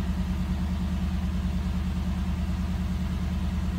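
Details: 1989 Cadillac DeVille 4.5L right after ECM replacement for F32 code, cold hard starting and rough, searching idle: a slightly rough start while the new computer relearns, then a steady, even low idle with no knocks or misses; normal idle.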